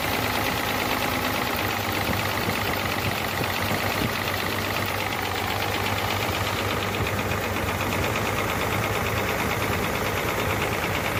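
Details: Hino J08C truck diesel at idle after overheating from a leaking water pump: harsh, uneven knocking clatter over the running note; noise from cylinders 1 and 2, back compression present; piston seizure suspected, not confirmed.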